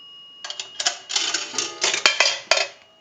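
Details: Northern Electric 3-slot payphone after repair and conversion, final checkout via an amplified pickup on the receiver: quarter inserted, coin clatter with bright metallic ringing bursts over about two seconds. Normal quarter gong signal.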